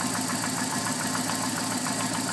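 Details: Alfa Romeo 145 1.6 boxer at idle; fast, even light tick riding over the engine note, weird ticking, source not yet pinned down.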